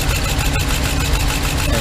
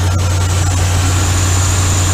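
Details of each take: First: 2015 Ram 3500 with 5.7 Hemi idling with an uneven, lumpy low thump: cylinder 5 misfire, its injector getting no power because rodents chewed apart the wiring connector. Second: 2015 Ram 3500 5.7 Hemi after repair: smooth even V8 idle, no misfire. The cylinder 5 misfire was not a spark issue but rodents chewing the injector harness connector, which was rewired.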